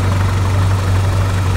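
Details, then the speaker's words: Toyota Kijang, exhaust before adjusting the distributor: low, heavy, uneven blub-blub idle because ignition timing is too retarded, read around 25 degrees; loosening and resetting the distributor toward about 15 degrees smooths the engine. "nah ditandai dengan untuk suara kanalpot juga ini suaranya tidak rata ya BL blup blup blup seperti itu yang menandakan memang untuk setelan pengapian tidak pas ya ini terlalu mundur"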